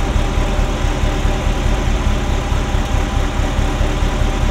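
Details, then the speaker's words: Ferrari Mondial V8 at idle: uneven, loose thrum about once a second, rough with popping like an old marine engine. Owner pulls sensor plugs; the bottom one changes nothing. Timing is out and the cause is unknown; owner suspects a sensor. Misfire on cylinders 5-8. "So it's running rough, popping and banging. It kind of sounds like an old marine engine at the moment. There's a thrumming that there shouldn't be, so it's uneven."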